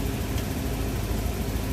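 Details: Van engine after a day of repair work: low, steady idle with an even rumble and no knocks, misses or rattles; settled, normal running.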